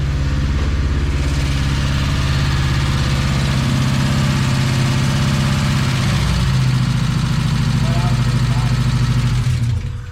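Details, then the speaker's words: Engine restarted after blowing up again, throttle just adjusted: uneven, lumpy idle with a fast light tick about three per second over a low rumble; rough, clangy running with a valvetrain tick. "that's a little bit better than it was it's definitely sure is clangy man it's playing as hell"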